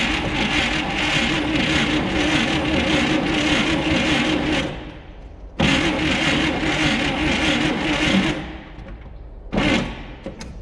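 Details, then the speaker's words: 1959 Chevrolet Apache straight-six, one-barrel, sat almost 40 years; after fixing a bad battery connection (12.3 V at starter, 12.2 V at coil): two sluggish four-second cranking bursts and a brief third try, no catch; sounds too slow to fire. "I don't know if it'll be fast enough to start it, but I did notice something else in here."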